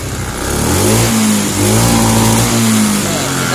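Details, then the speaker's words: Honda Scoopy injection scooter: revs unevenly, pitch surging and dropping instead of climbing cleanly, still stuttering while the TPS throttle position sensor is being adjusted. "Oke kita coba hidupkan nih ini masih brebet ya"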